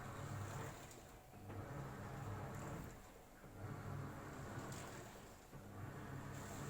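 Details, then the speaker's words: AQUA single-tub washing machine in the wash process after filling. Motor churns in surges about every two seconds, easing between pulses as the drum reverses. Not very noisy; normal wash with 39 minutes remaining. "Ini menurut saya juga nggak terlalu bising ya, jadi biasa aja."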